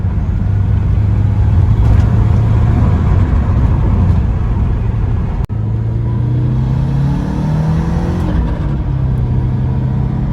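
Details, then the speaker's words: Porsche 944 Turbo, after repair: it had broken up under boost because all four fuel injectors leaked, and new injectors were fitted. Driving, the engine pulls cleanly with the note rising smoothly, no stumble or breakup under load; running perfectly. "All right, guys, she's back together and running perfectly now."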